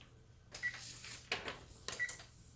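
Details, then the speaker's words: Kenmore/Frigidaire range with F90 door latch code, self-clean started: panel beeps and one sharp click from the control board relay for the lock motor, then no lock motor hum, so the door does not lock. "so that one relay you heard when I press Start is the relay for the lock motor to tell me of it go ahead and lock herself clean"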